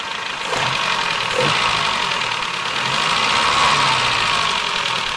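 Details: 1984 Nissan N12 1.5GL petrol, carburetor fixed up, vacuum advance hose and spark plugs replaced: quick dry ticking about four per second over a smooth idle; owner says the valves definitely need adjustment.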